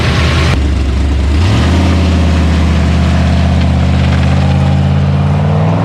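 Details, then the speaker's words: Ford Mustang 302 HO small-block V8 with sticking carburetor needle and seat that flooded it; after a throttle blip settles to a slightly lumpy low burble, loading up at idle and puffing black smoke, running rich; carb needs rebuilding. "well I was puffing some black smoke which means we have a lot more sorting out the carb it really needs to be rebuilt"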